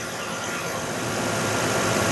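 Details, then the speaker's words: 2012 Nissan Murano after replacing a wobbling, leaking AC compressor: with AC on, even hiss and engine hum, no wobble, rattle or bearing growl. Low side about 38, high side 145; compressor engages quietly. Normal. "let's wait for the compressor to re-engage there it goes nice and quiet didn't even hear it kick in"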